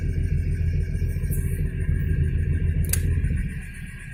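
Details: VAZ 2106 that burns oil: loose, uneven knocking about three times a second over a rough low idle; engine knocking, source not pinned down.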